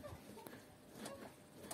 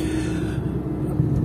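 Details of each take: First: Squeaking suspension on a new Lada Niva Travel, body rocked by hand at the fender: rubbery squeaks about 1.5 per second, from rubber parts such as stabilizer or control arm silent-block bushings; control arm bushing squeak. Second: Lada Niva Travel (new car) driven at night over very uneven road, phone-recorded: only low, even road rumble with no squeaks, creaks or knocks; the suspension is very quiet.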